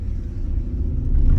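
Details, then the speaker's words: Maserati GranTurismo S V8 ticking over, after sport cats with X-pipe and resonators fitted, check-engine light on: deep, low, even burble, losing the earlier hollow trumpet drone and regaining the proper V8 sound. "It's losing that trumpet sound and it's gaining the V8 back, which is what it should be like."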